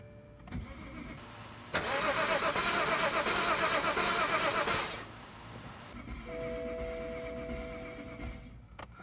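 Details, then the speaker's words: BMW 535xi E61 wagon, probably long-sitting, second crank after installing a used, reprogrammed MSD81 DME: starter cranks steadily about three seconds, engine never catches; crank no start, cause unknown, fault scan next. "Dang, all right, I guess we're gonna have to pull out the fault scanner."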